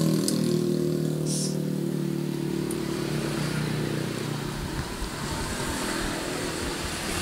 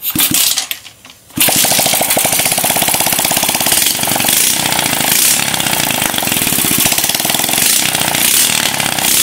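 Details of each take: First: Scrapyard Suzuki Smash small single after tightening cam chain, makeshift exhaust and fresh oil: steady, even putter with no chain rattle or ticking; healthy running. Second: Scrapyard Suzuki Smash small motorbike, first start, no oil added yet: runs with fast, busy metallic top-end clatter over exhaust; loose cam chain, needs cam chain tightening and carburetor setting.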